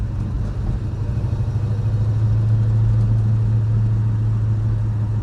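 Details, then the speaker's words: 1968 Ford Mustang Fastback, 302 V8 with 4-speed manual, on a test drive shifting through third into fourth: steady, even engine drone with no grinding, whine or clunks; normal driving. "but all the gears are good. It doesn't grind or anything."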